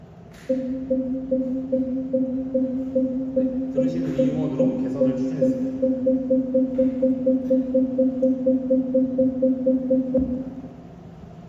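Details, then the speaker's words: Genesis GV70 facelift, 3.5 turbo sport package: the redesigned, rounder parking distance warning (PDW) chime, a steady mid-pitched tone repeating about twice a second. "먼저 pdw 주차 주차거리 경고입니다"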